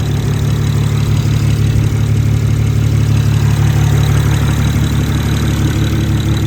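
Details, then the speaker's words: BMW 335xi after a head gasket replacement with an Athena cut-ring gasket, just started, snowing: a steady, even idle with a smooth low hum and no knock or misfire. The engine sounds healthy. "All right, guys, she's running. She sounds good. Of course, it's snowing, so we can't do any crazy pulls. But she's alive again."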